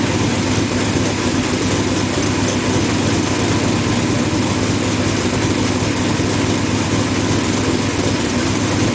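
Smooth, even idle with a steady low hum and no misses or ticks; the engine is running cleanly.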